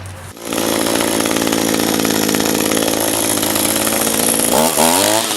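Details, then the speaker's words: Echo SRM-225 two-stroke trimmer, about 1,000 commercial hours, with an aftermarket replacement carburetor, restarted hot after sitting on a hot day: high raspy buzz whose pitch surges and wavers; owner says it seems lean, not getting fuel, hot-start issue persists. "let it sit for a few minutes try to start it and it just runs it's like it's lean there it's just not getting the fuel you know"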